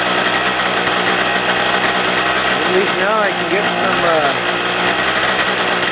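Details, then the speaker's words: Harbor Freight 800 W generator running after a homemade head gasket replaced one burnt through by a loose head bolt; loud steady buzz with slight wavering, slightly rough. "hopefully it's really not very smooth oh well let's see if I can get some some power inside the house but it's running"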